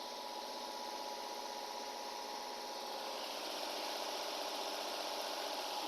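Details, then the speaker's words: Nissan/Infiniti VQ35 3.5 L (G35) started after hose and cooling-hose work: uneven lumpy idle with a regular stumble about four times a second, a misfire because coil number two was seated but not bolted or connected. "oh that's because I did not connect the coil that's why that's because the coil number two is sitting in but it's not bolted and not connected"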